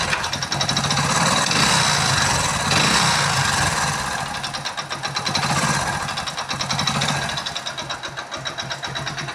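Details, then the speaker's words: Hero Splendor motorcycle before full engine repair, service neglected, almost no engine oil left: harsh metallic clatter and rattling ticks over a rough, uneven run; oil-starved engine with badly worn internals. "Sound ਤੁਸੀਂ ਇਹਦੀ ਦੇਖ ਹੀ ਲਈ ਆ ਬਹੁਤ ਖੱਚ ਖੱਚ ਕਰਦਾ"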